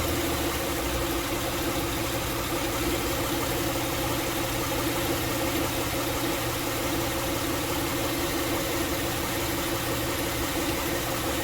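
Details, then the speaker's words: 2006 Honda Pilot, warmed up, in drive with parking brake on, after the serpentine drive belt auto tensioner was replaced: steady, even idle under load with no ticking or chirp. The ticking under load is gone, and the recently installed timing belt tensioner is fine. "I currently have the vehicle under load it's on drive with the parking brake on and again no sound no ticking sound so this has been successful"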